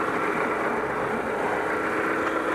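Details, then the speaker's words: Engine started after reinstalling and torquing crankshaft pulley/harmonic balancer whose inertia ring had slipped, throwing timing marks off; before timing check: steady, even idle, smooth airy hum, no knocks, ticks or misses; normal idle. "okay we'll get that going in a little bit everything sounds good so far"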